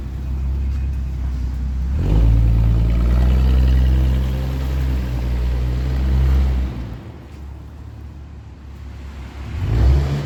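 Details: 1982 Ford Granada 2-door with two significant exhaust leaks, rotted flange ahead of the muffler, choke on: loud, raw, deep bassy rumble pulsing about four times a second, swelling with revs.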